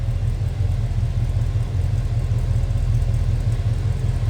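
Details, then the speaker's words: 1970 Chevrolet Chevelle big-block V8 with cowl induction, idling. The burble is deep and even, a steady low thump with no knocks, ticks or misses. No big cam; a smooth, healthy-running engine. "This is just a nice running big block."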